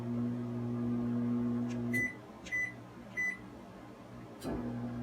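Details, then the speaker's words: Sole elliptical after replacing the handlebar incline/resistance button membrane. Even incline motor hum, a pause with three short high console beeps, then the hum returns; console and incline work normally. "all right so again everything's working fine here the ramp and also here the beep on the console"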